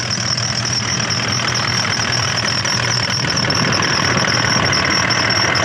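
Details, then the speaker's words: Toyota Landcruiser engine idling with a thin, high squeak pulsing about four times a second, which began suddenly on a mountain track. The owner suspects a collapsed idler pulley, with metal-on-metal grinding, a burning-rubber smell and a dragging belt that made starting laboured. "We're just coming along. You can hear that squeak. Uh looks like about an idler pulley collapse."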